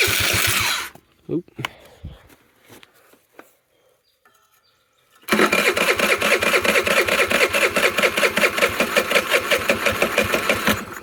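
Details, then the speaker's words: Tao Tao Pony 50 moped running with choke on: buzzy engine with surging, irregular pops after a quiet gap, revs wander; owner says it walks away on choke and wants a different carburetor. "When the choke is on on this, it likes to walk away."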